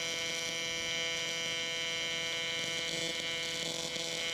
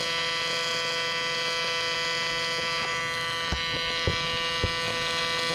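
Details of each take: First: Miller Dynasty 300DX AC TIG on aluminum: steady high buzz with a few faint pops because the aluminum is still cold; let it heat up more. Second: Miller Dynasty 300DX AC TIG welding aluminum during practice: steady, even arc buzz with only a couple of brief clicks; normal AC aluminum weld.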